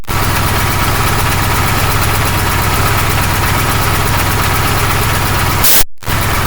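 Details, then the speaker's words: KamAZ truck air dryer at diesel idle: a hissing purge burst; the dryer sneezes more often at higher revs because the narrow hydraulic hose from the compressor restricts airflow; fix is to replace it with a tube. "нет чем больше оба раза чем тем чаще чихай потому что производительность компрессора увеличивается"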